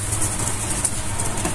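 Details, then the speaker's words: Electric fan that had been weak, slow and overheating, now fitted with a new capacitor and running on first speed. Steady, even low hum and constant airy rush with no dropouts or surging, running strong: normal, indicating the capacitor was the fault. "E na primeira velocidade também está forte. E indica que é um capacitor."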